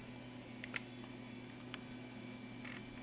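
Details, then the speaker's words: Toshiba T4600C laptop floppy drive after capacitor work: faint motor whir with sharp ticks about a second apart as the head bumps back and forth, never reads; owner suspects bad floppy controller, not confirmed. "yeah I heard it try but I think we've got a bad floppy controller CU it's doing the exact same thing I can hear the head try to read"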